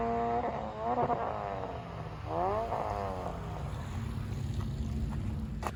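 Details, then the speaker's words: Green Honda Integra at the drag strip with broken shifter cables, upshifts fine but no second or fourth gear: revs climb hard twice, bouncing off the rev limiter on a missed shift before dropping into third. "so basically all night long he was doing that he couldn't get any down gears which is second and fourth gear uh it up shifts fine um if you hear the video you can hear him you know touch the rev limiter and goes into third gear"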